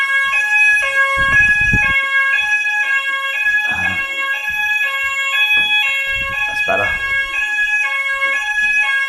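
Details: Old preschool fire alarm sounder that had no sound, after a quick fix, one of two repaired: a loud, clear alarm tone steps between two pitches in a repeating cycle without dropouts. The sounder is working properly.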